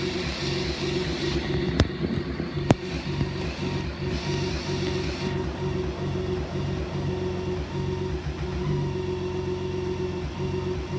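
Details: BMW K1600B rough idle, also in first gear near the top of clutch engagement; no diagnostic codes and the dealer found nothing. Fuel treatment, a TPS reset and an air filter check didn't help; owner suspects bad fuel, exhaust or plugs.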